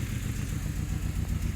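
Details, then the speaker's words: Saab 9-3 Aero, after ATF was soaked into the cylinders and water mist was fed into the intake, has a lumpy idle with a stumbling beat and dropped exhaust pulses. Owner believes cylinder four is missing; no blow-by is present. "believe it's missing on cylinder number four uh and it's no blow by whatsoever"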